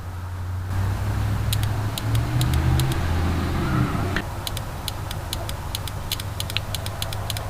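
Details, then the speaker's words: Third-gen car not started in 2 years: a fuel injector, previously dead and soaked and cleaned in transmission fluid, now gives crisp even solenoid ticks about three a second over a low hum; injector working again. "if you can hear that that is the solenoid clicking now unbelievable"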